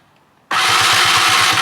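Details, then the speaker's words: Free stand-up jet ski after swapping the weak EverStart for a spare battery from an old JS300: starter spins the engine quickly and evenly, about seven strong compression pulses a second; healthy fast cranking, good spark. "Put a new battery in it that I had in the garage from the old JS300. And now, check out how quick it's spinning."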